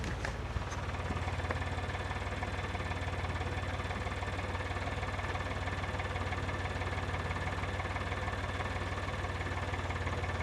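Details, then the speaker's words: Geo car a few minutes after a cold start, after a little gas: a rough, lumpy idle pulsing about four beats a second, bogging as if running on one cylinder. Suspected misfire, cause not confirmed. "it kind of bogged down a little bit and sounded like it was running on one cylinder and I just let it die and I went to work"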